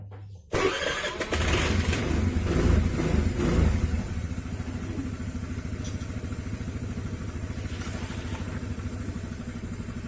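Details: Honda Vario CBS scooter after CVT repair for noise under throttle: cranks, catches and settles to an even idle with no drive rattle; noise gone, smooth. Normal idle.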